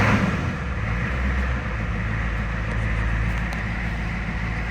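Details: 1983 Ford F250 diesel after a cold start: deep, even diesel idle with a constant low rumble and no rattle or miss; engine settled nicely.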